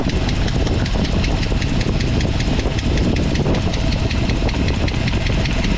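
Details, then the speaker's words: 1979 Jeep Wagoneer Limited, AMC 360 V8 with Edelbrock intake and Holley Brawler carb, cold start idle: sharp fast ticking over the rumble from a faulty set of bridge-style rocker arms, before the rocker swap. "So, you can hear the lifter tapping."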